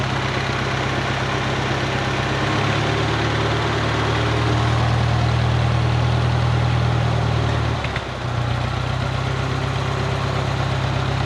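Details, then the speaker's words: 1951 Farmall Cub tractor after a carburetor clean and fresh fuel, just started with plenty of oil pressure: a low, even putter at idle with a steady beat and no knocks or misses; healthy. "It runs good too. It sounds good. And these motors just purr."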